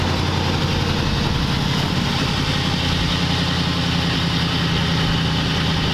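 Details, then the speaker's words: 1940 Ford convertible flathead engine, idling: steady mellow even low beat but idle sits a bit fast; idle screw needs turning down. "Got to turn the idle down. Mess with the idle screw a little bit."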